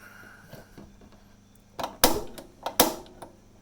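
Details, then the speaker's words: Diamond LP propane refrigerator burner, lighting with gas safety valve held and igniter snapped, thermostat at 3: quiet hiss broken by three or four sharp irregular pops as it tries to light; gauge still in the white; barking from not quite enough fuel. "That barking sound is it doesn't quite have enough fuel"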